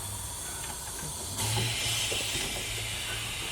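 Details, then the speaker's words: Car, fuel cap loosened after a drive: quiet background, then a sudden sharp hiss trailing off slowly as the fuel tank vents trapped pressure. "your pressure in the tank if i take the cap off it'll shoot fuel missed everywhere y'all it's still pressing tank"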